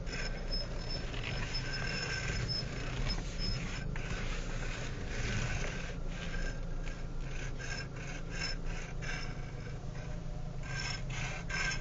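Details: 2012 Renault Megane GT, 1,457 km, idling with air conditioning off: scraping rasp and a thin high tone come in as the wheel is turned; the common electric power steering noise.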